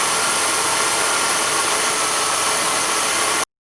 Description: In this case the water pump makes a loud "squealing" noise or you hear the bearings scraping.